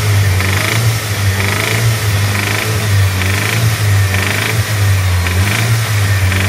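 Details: Evo engine revving up and down with a repeating higher-pitched rasp on each rise over the deep drone; noise present, source unclear.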